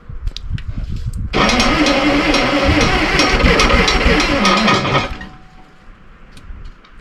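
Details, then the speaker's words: Terex TX 72-31 loader with Detroit 6V53 diesel, first start attempt in 20 years on jump pack and ether: heavy, laboring crank at about four beats a second, dragging as if loaded; owner suspects a pulled hydraulic valve giving pressure. "Now, my assumption would be that uh maybe one of the hydraulic valves is pulled or something. Acts like it's getting pressure."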